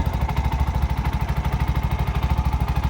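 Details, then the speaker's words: Bajaj BS6 single-cylinder after timing chain repair and complete refitting: even steady idle thump with no rattle or chain slap; runs smooth and silent, chain noise gone. "Smooth ಆಯಿತು ಗಾಡಿ. Silent ಆಗಿದೆ. Sound ಕೇಳಿಸ್ಕೊಬೋದು."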